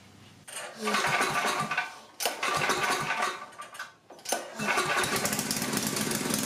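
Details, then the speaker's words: Coleman Powermate 6250 generator, 10 hp Tecumseh engine, after a quarter-turn-out adjustment; after a couple of catches and dips it settles into a steady, even drone, running normally. "that's it quarter turnout is all"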